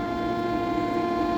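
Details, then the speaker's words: Commercial kitchen exhaust fan, found switched off, one nearby fan leaking grease: a steady, fairly high whine with no change in pitch over a quiet run; technician attributes it from experience to the fan motor going bad. "that whining sound is the motor going bad. I just have experience with these guys."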